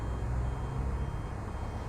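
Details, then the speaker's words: E&P Hydraulics Level C levelling system on a 2020 Bailey Alicanto Grande Porto twin-axle caravan, retracting the jacks: a steady low pump drone with warning beeps for movement. Normal operation. "you can probably hear the beeping to warn other people that there's that there's movements"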